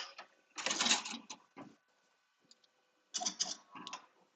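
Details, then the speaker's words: Embroidery machine: fast, uneven rattling stitch bursts that stop and restart as the thread nests under the shirt and the fabric is pulled in, ruining it beyond fixing. Embroidery machine jam. "what happened yeah have you created that it like ate my shirt"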